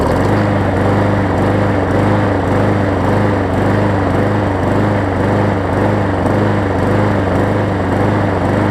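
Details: Hyper Tough push mower after replacing a severely bent blade with a new one and cleaning it up. Steady, even single-cylinder drone with a regular light beat and no knocking or vibration. Normal running.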